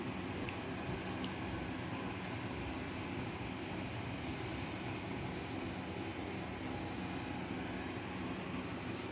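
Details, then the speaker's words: Newly installed Broan Flex AE80LK bathroom exhaust fan, replacing a 25-year-old Broan Nutone: steady rush of air with a low rumble, louder than expected; owner suspects the older house's 3-inch duct on a fan made for 4-inch duct. "so now that the cover is on it's not quite as loud as i thought it was i think the reason it's louder than it should be is that i had you know this is an older house we've used three inch duct and all the modern fans use four inch duct"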